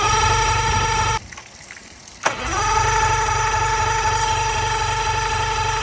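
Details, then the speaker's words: Marketplace boat outboard, compression about 100-110 on all cylinders, fuel line leaking, first start attempt: regular starter churn about four beats a second with a gap between tries, never catches; cranks but won't start, owner suspects not firing. "So, I don't know what that's about. It has good compression. Sound like maybe it's not firing."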